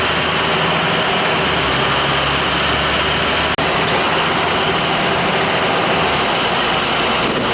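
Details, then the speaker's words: Oil boiler burner that had run out of oil and previously sputtered, after a service visit with good draft over the fire: steady, even roar of flame and fan with no pulsing, rumble or sputter, a little crusty but working, normal. "y a little crusty looking but she's working"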